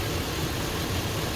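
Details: 2001 Dodge Ram 1500 Magnum engine, idling during a plenum gasket leak check with the PCV hose removed and no suction felt: short steady low idle rumble with no hiss, whistle or stumble; plenum appears to be holding.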